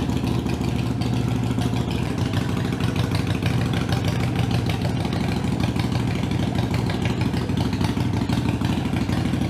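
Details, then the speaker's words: Harley-Davidson Iron 883 V-twin at a steady, even idle with a deep unbroken beat and no misses, recorded before booster setting meant to keep the engine from running too hot; normal idle. "Nah ini sebelumnya saya akan Tunjukkan sahabat melenia sebelum kita setting dari hasil yang tadi ya seperti ini ni bunyinya"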